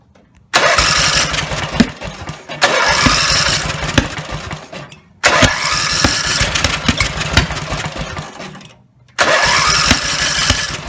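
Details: Rebuilt Briggs and Stratton 17HP (carb rebuilt, plugs, sump, oil slinger, gaskets replaced, valves reseated) fires and roars loudly a few seconds, then drops off and quits, three times; won't idle; owner suspects the throttle linkage lever isn't resting on its screw.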